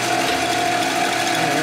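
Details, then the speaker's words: Lathe power feed driving a cut while tapering a 1957-70 Harley Ironhead XL kicker gear ratchet plate part: even, steady mid-pitched whine with no knocks or catches, normal power feed running. "I might as well use the power feed for doing this. It makes more noise too."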